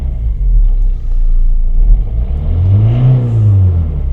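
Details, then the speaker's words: Volvo 1.6 D2 diesel (Ford-built engine) just after fitting a new injector, adaptations not yet done: deep rumble at idle, a droning tone swelling and falling with a rev blip; sounds unusual, possibly because the bonnet is open and soundproofing removed. "Doesn't sound wonderful at the moment, but that might be because there's all the soundproofing been pulled out from under the bonnet and it's open."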